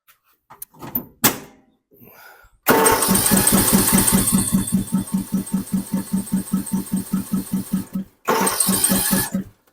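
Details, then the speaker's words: Snapper 150Z zero-turn mower, 21 hp engine, full throttle and full choke: even starter cranking about two and a half pulses a second for several seconds without firing; no start, traced to a broken choke shaft. "they brought it in the other day it turns over put the throw it all the way up choke on it turns over"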